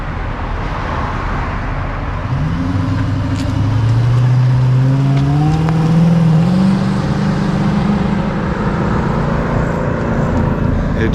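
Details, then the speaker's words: 2006 Dodge Magnum, warmed up, suitcase muffler replaced by two pass-through Magnaflows, rear mufflers retained: revs up smoothly with a rising then falling drone, just slightly throaty, rear mufflers still quieting it; healthy exhaust note. "barely sounds a little throaty just barely sounds a little throaty those back mufflers still do a lot of muffling"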